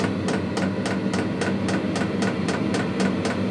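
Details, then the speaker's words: Truck camper diesel heater on level 2 in its ignition phase: sharp regular fuel pump ticks about four a second over a soft burner hiss as the flame kicks on; heater running normally. "You can hear the flame just kicked on. So eventually start to get warm. It's still in the ignition phase, so it might take a minute."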